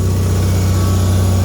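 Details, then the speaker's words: Bolens HT-23 garden tractor after repair, warmed up: loud steady low drone at constant speed, no misses or knocks, charging system working; normal running. "she's charging she sounds good"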